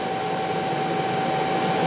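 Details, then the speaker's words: Motor recently rebuilt by specialists, now run on a replacement inverter instead of the Korean one: steady high whistle over even hum, unchanged by the drive swap; owner suspects the motor itself, cause unconfirmed. "вероятны проблемы в двигателя что там может издавать такие звуки"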